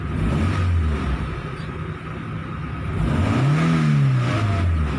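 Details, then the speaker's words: Mitsubishi 4G15 engine after repair with separate-coil conversion and cleaned fuel tank: throttle blips with AC on rev up cleanly and settle back, no stumble or misfire, strong revs; normal revving. "ลองอ่ากะหล่ำเบิ้ลให้ดูนะครับก็ว้าวนี่ไม่มีอื่นเลยนะครับแกทำงานเหยียบแล้วไม่มีอื่นนะครับ"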